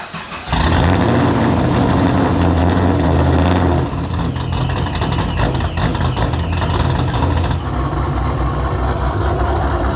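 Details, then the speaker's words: Procharged GTO after fixing a fuel pressure fault in its custom dual in-tank pump setup: it catches quickly into a steady, deep, even warm-up run; fuel pressure holds and no leaks. "all right guys we got this thing running I'm not seeing any leaks fuel pressure is still holding per perfect pressure seems to be holding perfect"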